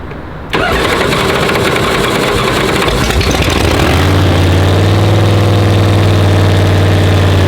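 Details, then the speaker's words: Blown Hemi with dry sump and fresh 50-weight oil, misfiring on cylinders 7 and 8 with barrel valve being adjusted; cranks then loud lumpy idle with uneven chop; two cylinders not firing cleanly. "i'm gonna crank it up and check the timing and try to get the uh barrel vibe adjusted where it's spitting out of seven and eight"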